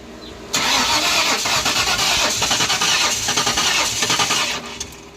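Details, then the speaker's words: 1994 Ford Mustang GT convertible, distributor reset to top dead center, crank-no-start: starter churns rough and uneven for about four seconds, never catches; cranks but won't start. "Sounds worse than it did before. Damn it. We managed to kill our brand new battery trying to start this thing."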